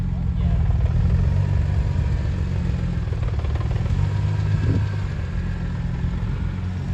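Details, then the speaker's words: 2002 BMW M3, S54 engine, manual, freshly reassembled, warmed up to temperature at idle: deep, uneven rumble with a loose clatter riding on it; abnormal engine noise, cause unclear, needs inspection. "ya camino hoy ya se calentó un rato y está una temperatura pero es un ruido en el motor que no nos gusta se va a tener que revisar"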